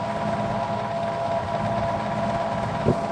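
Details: Old fan, not run since last time, in cool weather, drawing about 2.51 amps; steady motor hum with a rough, uneven growl underneath, suspected worn or dry motor bearing, not confirmed.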